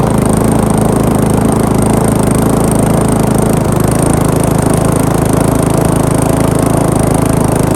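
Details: Briggs & Stratton lawn mower just after rebuild, first run: small single-cylinder engine holding a steady, even beat with no misses or surging; runs smoothly and healthily, though throttle linkage needs slack to shut off.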